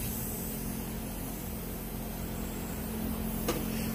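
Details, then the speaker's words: Synapse diverter/blow-off valve on bench leak test fed about 32 psi of compressor air: steady airy hiss as the valve leaks past its seal; it is missing an O-ring and the seat landing appears unmachined. "I've got about 32 ish psi feeding it through my air compressor and I'm going to put in a little bit at a time and see if it leaks sounds like it's leaking"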